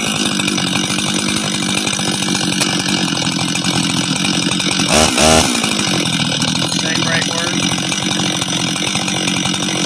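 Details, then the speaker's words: Husqvarna 385 chainsaw, first start after reassembly, first heat cycles: high buzzy two-stroke idle holding steady, brief throttle blip midway with clean return; starts and restarts easy, throttle response good — normal idle. "work sounds good idles good good he all right um starts restarts easy throttle response is good idle's good"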